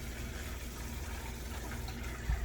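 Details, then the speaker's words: Refrigerator after water filter change: water gushes unevenly with low spitting and gurgling as trapped air purges from the line; flow keeps sputtering, drain until the air is out. "notice how it doesn't start stop flowing right away but you can hear all that air something you got to keep an eye on"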